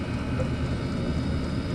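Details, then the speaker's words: Chinese diesel air heater after fitting an ultra-quiet fuel pump to cure fuel-pump ticking: smooth even blower roar with only a faint pulse and no ticking; normal running. "There's like no noise coming from that. All you can hear is the roar of the motor, and yeah, I'd say that's worth doing, guys."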